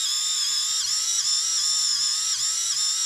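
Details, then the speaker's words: InMoov robot shoulder servo spun up during assembly: high buzzing whine that dips and labours every half second. Screw heads catch on the top housing piece, whose base was filed but top was not, making the servo strain. "I think what's happening there's the screws with the screw heads they're actually hitting down in here"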